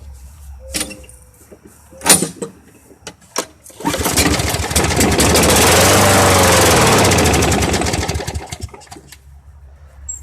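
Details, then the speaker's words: Free push mower with primer pump that seems not to draw fuel: catches after a few pulls, runs about four seconds, revs sag and it dies; owner suspects a clogged air filter or dirty carburetor. "it may be drawing some fuel, but it's not continually running, that's for sure."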